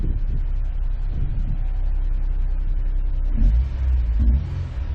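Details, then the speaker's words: 2003 Honda S2000 AP1 after new OEM catalytic converter and correct-flow fuel injectors, first start after fuel pump priming: catches and settles straight into smooth, even low idle with no misfire. "let the fuel pump prime a couple times just in case oh my god went right to idle"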